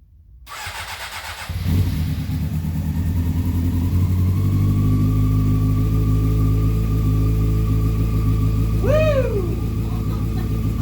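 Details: 2001 Honda CBR600 F4i after valve adjustment and reassembly, needed headlight plugged in to start: engine catches after brief crank, steady even run with smooth revs, no knocks or ticks, slight smoke from exhaust; normal running.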